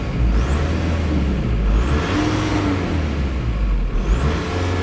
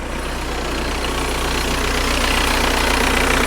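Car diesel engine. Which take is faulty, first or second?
first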